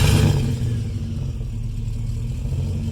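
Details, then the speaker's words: Chevy Colorado with junkyard LS V8 swapped in for the i5, reusing the factory exhaust with new stainless parts: starts with a short blip and settles into a low, smooth, even rumble without knocks; healthy running. "It drives beautiful. Just start it up for us. And it's so smooth."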